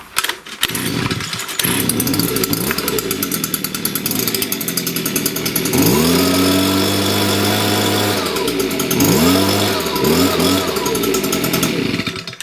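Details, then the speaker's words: Stihl BG56 two-stroke leaf blower with a worn, damaged piston, rings and cylinder, reassembled without repair after earlier flooding: fires up and revs in rising, falling bursts, sounding reasonably strong; worn engine still runs surprisingly well. "It runs good the way it is. I'm actually surprised that it's running that good."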